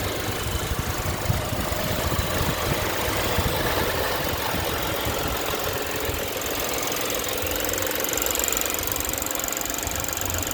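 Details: 2008 Toyota Mark X running: rapid, uneven knocking under a loud steady hiss; abnormal engine noise, source not pinned down.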